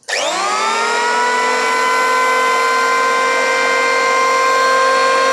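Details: New Yoca electric hand planer at unboxing spins up quickly to a steady, clean high whine with no bearing clicking or wobble; normal running.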